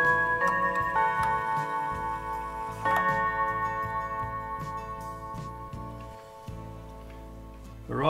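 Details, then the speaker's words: 1950s Junghans mantel clock, W200 movement, four gong rods, tested before repair by spinning the minute hand: clear ringing Westminster chime melody with sustained even tone; healthy chime train. "makes beautiful tone on the melody"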